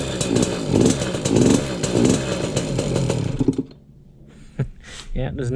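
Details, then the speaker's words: 2003 KTM 50 Mini Adventure 50cc two-stroke, sat a while, likely running rich from jetting or excess oil (oil injection plus premix): runs rough, surging and sagging, bogs on throttle and dies at idle; carb to be pulled. Won't idle, stalls. "We got this KTM Mini Adventure and it doesn't really want to idle well. It just bogs out when you give it gas and dies."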